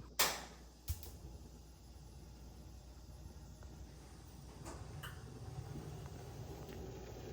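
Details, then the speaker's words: Gas oven bake burner on restart after the DIY repair, set to about 370-385°F: a couple of sharp spark clicks, then a soft hush swelling into a steady burner roar. It is igniting normally again, where before it clicked without lighting. "Yeah, baby, we're back in business. All right, you saw it for yourself. That seems to be working again."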